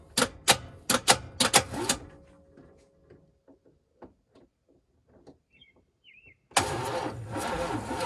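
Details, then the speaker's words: 1980 Pontiac Grand Le Mans G-body small block V8, battery possibly flat: about six slow labored starter turns then stops without catching; engine not seized and pumping fuel, but won't start. "Well, she ain't seized. Oh, she's pumping. She's pumping fuel."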